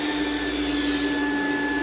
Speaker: You hear that motor starting to whine?